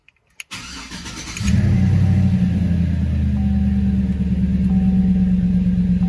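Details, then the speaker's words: Truck cold after sitting overnight, run under 30 seconds with the serpentine belt removed to test for an rpm-related whine: brief crank, then steady, even idle with no whine; points to the alternator or a bearing. "no wine no wine at all that's what it should sound like"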